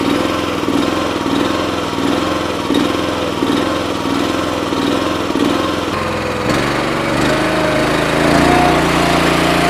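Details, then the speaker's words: Honda engine on an Eastonmade 9-16 wood splitter after fixing its surging at idle: holds a slow, even idle with the choke fully off, revs up steady and settles back cleanly; before, it surged and needed choke to idle that low. "Before I couldn't let it get down even close to this low in the idle, and the choke is all the way off. And before I was having to choke it in order to get it to idle that slow."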